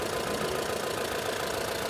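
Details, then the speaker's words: Mahindra Bolero Camper 4x4 pickup diesel after repairing EGR fault (P01940C): even, steady idle clatter with no dips or stumbles; engine that previously dropped and shook now idles smoothly. "और engine को देखिए, यह भी पूरी तरह से सुचारू हो गया है। पहले यह इस तरह गायब हो जाता था , इस तरह कांपने लगता था।"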